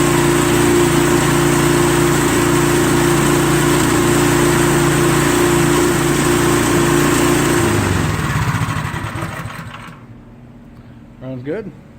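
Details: Troy-Bilt snowblower, first start after carburetor replacement and fresh gas, belt cover still off: the small engine holds a steady, even buzz for about eight seconds, then winds down cleanly when shut off, running healthy.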